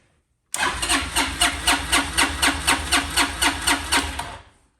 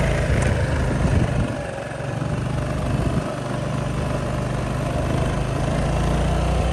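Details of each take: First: $10 auction Honda Helix scooter: even starter cranking at about four compression beats a second for four seconds without catching; it fired on starting fluid, pointing to a fuel issue. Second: Honda Helix scooter bought for $10, first ride after getting it started: a steady, even engine drone with some wind, pulling strong with no misses or knocks.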